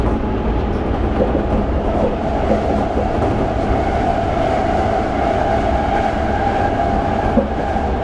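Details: Toei 5300 series set 5315, Mitsubishi GTO-VVVF, on Keikyu line rapid limited express (Misakiguchi–Kanazawa-bunko), in-car recording: steady slightly unusual whine over wheel rumble and rail clatter, abnormal inverter noise.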